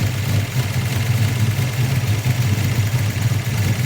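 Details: 1994 SN95 Mustang idling after an intake vacuum leak was sealed and the timing lowered slightly, with fuel pressure and a base idle reset still to do: steady low rumble at idle with a slight uneven pulse.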